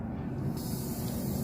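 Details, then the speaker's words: BMW X5 E70 air suspension: the right rear (blue) line is slowly unscrewed with a 10mm after the rear distribution is unplugged, to deflate the leaking right rear air spring before replacing it. A steady low hiss of air venting from the line. "you can actually hear the air coming out. Okay. So right now we're just taking the air out of the rear spring."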